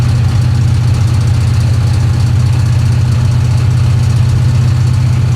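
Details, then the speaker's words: 1966 Chevy Impala on its first highway drive in over 20 years, under load climbing hills: steady drone with uneven knocking of about four per second; oil pressure low, cause unknown. "Oh, that noise can't be good."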